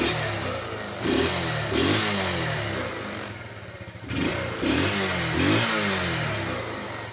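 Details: Motorcycle that had strong battery, fuel, spark and compression but wouldn't start and stalled, now running after spark plug cleaning; quick throttle blips, pitch rising and falling; odd pink watery fuel suspected, intermittent stalling being checked.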